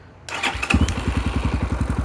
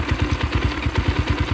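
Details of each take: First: 2022 X-Pro Templar 250cc single with Nibbi PE30 carburetor after throttle needle adjustment, about 65-67°F: short starter whir, catches at once, settles to quick steady thumping idle around 1000 rpm; clean healthy start. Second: 2022 X-Pro Templar 250cc with 5-speed, newly installed Nibbi PE30mm carburetor, warming up: quick regular thumping idle about nine beats a second, light and thin; idle mixture slightly lean, air screw turned to richen.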